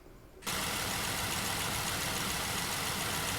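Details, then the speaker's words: Jeep JK Wrangler Pentastar V6 at 228,000 miles, idling after Liqui Moly hydraulic lifter additive: steady idle with a fast, fine ticking on top, slightly quieter after additive; indicates failing rocker arm or lifter or both. "However, the ticking noise does indicate that there's a failing rocker arm or failing lifter or both."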